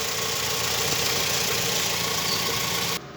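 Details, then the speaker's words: VW Saveiro engine after belt service, with the power steering/alternator belt correctly tensioned and no slack: even idle under a steady hiss, with no squeal, rattle or chirp from the belt side; the earlier roar is gone and it runs normally. "já acabou a ronqueira que tava no motor a roda no centro silêncio"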